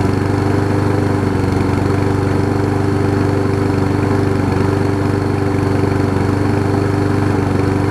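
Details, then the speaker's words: Lawn Boy push mower after a replacement carburetor and blade-stop cable fix: small engine idles with a steady thrum whose speed drifts slightly up and down, a mild hunt; cause unconfirmed, later runs well. "it sounds like it's hunting a little bit"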